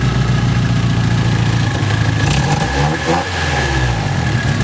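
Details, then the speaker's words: Nissan S14, recently retimed: steady rev briefly stumbles and sags before recovering, misfire breaking up when revved; gas smell present, owner suspects a sensor, not confirmed. "it only happens once it's even up that's what's causing me to believe it's that you can hear it like sucks around they like even worse and then or it just fixed itself don't see it'll break up"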